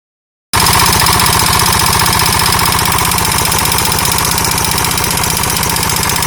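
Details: KTM 640 LC4 single-cylinder engine running with a hard, metallic clatter on every beat, repeating evenly; abnormal engine knock, owner unsure whether top end or bottom end.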